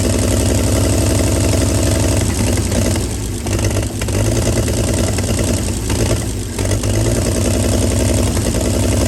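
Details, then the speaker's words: 1937 Chevy truck, running after about 45 years sitting, warming fast and boiling its water: deep, even rumble with steady firing and only slight dips, no smoke; normal idle despite rust in cylinders six, four and three. "girl running after 45 years I can't believe she ran that good and she didn't even smoke with as much rust and stuff was in number six number four and number three I couldn't believe it ran that good"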